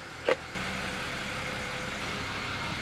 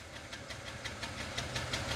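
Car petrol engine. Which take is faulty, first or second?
second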